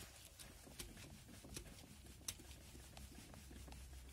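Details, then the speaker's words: VW Passat B5+ with a front-suspension knock first noticed on rough country roads; wheel rocked by hand over a pit: faint irregular light clicks, felt to come from the steering tie rod; tie rod play knock. "такое чувство что в реке постукивает вот это вот именно тяга"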